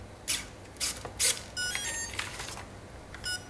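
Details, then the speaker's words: RC speed controller powered by a 3-cell LiPo, throttle held full at power-up: a run of short, high, irregular beeps as it enters programming mode, cycling menu tones for brake, battery type, cutoff mode and cutoff threshold. "wait yes it's got in the programming mode the first one is break two short tones is battery type three short turns is cutoff mode"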